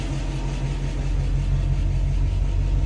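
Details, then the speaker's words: 1966 Mustang in drive after half-shaft bearing replacement, rear disc conversion and differential maintenance, previously noisy rear left wheel: smooth steady low drone, no whine or rumble from rear axle, differential dry; bearings quiet. "to drive yeah this is dry and he's working nicely listen down there nice and quiet"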